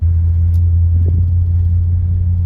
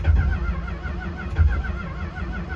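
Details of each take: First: 1964 Chrysler New Yorker V8, parked over two years, running after the spark plugs were addressed and the carburetor cleaned: deep, even rumble with a steady beat and no misses or knocks; normal idle. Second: 1964 Chrysler New Yorker V8 parked for two years, carb primed with quick start: steady cranking with weak, sputtering catches that never pick up; owner suspects the cap and the plug wires, which keep lifting off.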